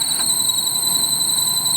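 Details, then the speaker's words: Maruti Eeco at idle, squeal starting when the AC is switched on: steady, piercing high squeal over a faint engine hum from a loose alternator belt slipping on its pulley. "जैसे ही मैं AC का button Dabangg और यह देखिए आवाज आना शुरू आवाज आने शुरू हो गई है"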